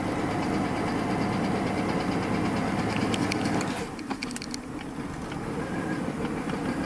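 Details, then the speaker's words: 1993 Mercedes S600 W140 V12, not run in a while, old-gas smell, pedal feels too light and ASR code set: dense, even hum with no bottom-end knock, but low power. "hasn't ran in a while but you can hear there's no knocks and I can smell of old gas"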